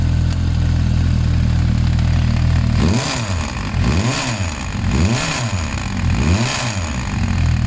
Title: Bruit moteur